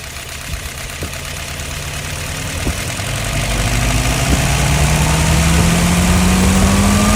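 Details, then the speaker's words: Restored, tested and adjusted 938, dry with no leaks, run through slowly a couple of times: even note climbing slowly in pitch as it speeds up, no knocking or rattles; normal running. "All right, run it through a couple times. Run it through real slow."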